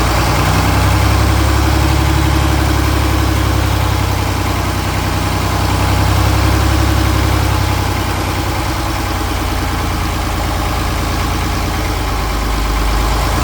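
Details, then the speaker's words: John Deere 4020 Hi-Crop Powershift, first run after sitting, fresh fuel and batteries, started on ether and a jump: heavy diesel idle swelling and sagging with no throttle input or response; owner suspects injectors or pump. "we had like no throttle response when you're hearing you know different levels of the RPM that that wasn't anything that I was doing on the other side"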